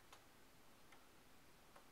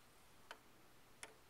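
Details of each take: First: Mike's pendulum clock after beat adjustment by lifting one side: quiet, even tick and tock alternating at a steady pace with no limp; clock now in beat. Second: Mike's pendulum clock during beat setting, one side still too low and being lifted: faint ticks about 0.7 s apart, too few to judge; still slightly out of beat, needs a tad more adjustment.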